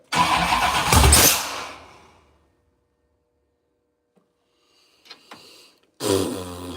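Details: 6.0 V8 with Holley Terminator X EFI, compression over 11 to one, first start attempt after TPS auto-set; long burst of starter cranking, pause, another attempt, turns over but never catches. Cause unconfirmed.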